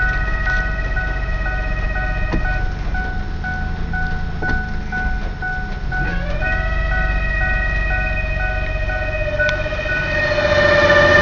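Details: 1995 Ford Explorer 4WD automatic, transmission rebuilt two years ago, recently not shifting into 3rd unless off throttle; loud whine in drive or reverse that stops at 5–8 mph and returns when stopped; owner suspects main transmission, possibly torque converter; no check engine light.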